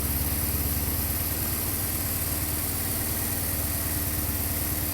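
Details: Warm Honda CB550 four-cylinder idle with a slightly lumpy, uneven beat instead of a crisp steady pulse; carbs out of sync, timing, cam chain and valves already set, RPM gauge broken.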